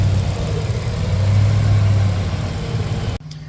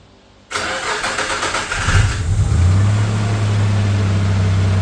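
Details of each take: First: Newly rebuilt Nissan Navara EP31 VG30 V6, fully warm: smooth, quiet, even idle with only light injector ticking; the earlier tapping noise comes and goes; runs healthy. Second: Newly rebuilt Nissan VG30 in a Navara EP31: cranks, catches and settles into steady idle with a light regular tap about three times a second; tapping noise under diagnosis.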